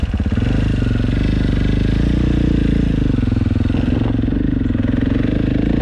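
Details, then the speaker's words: 2022 KTM 450 SXF after transmission repair (5th gear had failed), road test ride through all five gears: single cylinder pulling with steady, even thump, no clunks, grinding or missed shifts; all five gears feel good. "well that is pretty much it she is up and running all five gears feel good"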